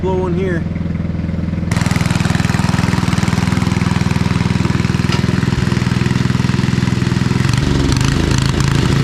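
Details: Old MTD Snowflite 826 snowblower, 8 hp, 26-inch cut, carb good, choke off, blowing snow: single-cylinder catches and settles into steady, even beat about 3.5 pulses per second; runs clean, normal.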